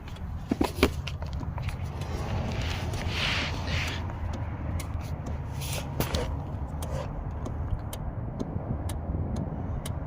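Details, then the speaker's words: 2009 Nissan Rogue 2.5L with code P0447, after replacing the cracked, water-damaged EVAP vent control valve: sharp light ticks in short bursts over a low engine hum as the scan tool switches the valve on and off; fixed and working. "Hopefully you guys can hear that. It's going tick, tick, tick, tick. Here, I'll do it manually. Off. On. And all I was doing was pressing off and on. There you guys go. So it's fixed, it's working."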